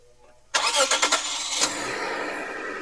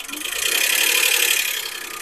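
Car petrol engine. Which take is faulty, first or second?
second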